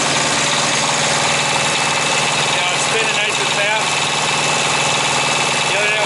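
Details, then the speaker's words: Thermo King APU on a truck, diesel, idling steadily; belt had sat unused all winter, no squeal or slip, cooling working, no red warning triangle, so it wasn't the alternator, just the belt. "but it is running and we're getting cool error coming in here good but no red triangle so it wasn't the alternator was just a belt"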